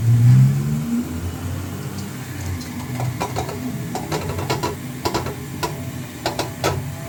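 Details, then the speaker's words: Toyota Avanza at idle, wheel turned left and right: irregular sharp clicks and creaks heard from the rear underchassis, cause not traced; rear brakes checked and shock absorbers new, no broken part found. "Lumalabas lang naman yung ingay mga boss kapag nililiko ni customer yung manibela niya ng pakaliwa or pakanan."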